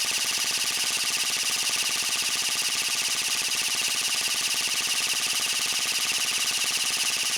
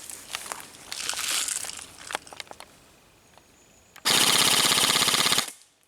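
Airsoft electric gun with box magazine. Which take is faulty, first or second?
first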